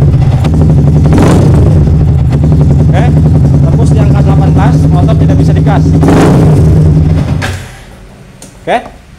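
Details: Yamaha R15 with MIL flashing code 46 and charging over-voltage of 16–18 V: engine holds one flat, steady note and never climbs when the throttle is blipped, then cuts out; it refuses to rev.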